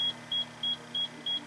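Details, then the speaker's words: Steady high beeping, about three a second, from a HydroKnowz hydrogen sensor alarm. It is set near 8,000 and tripped at about 9,279 while lead-acid batteries charge in a sealed, vented box on a 48 V off-grid solar system. "We just have the alarm set pretty low here. Okay. Um, this is now beeping. It'll continue to beep for a while."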